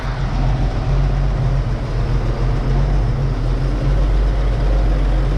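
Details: 1931 Oldsmobile F31 barn find, first start after freeing a cork chunk, likely from the homemade fuel-bowl gasket, lodged in the fuel-pump valve; slow, steady, low-pitched idle with even beat, no stumbling or surging. Normal idle.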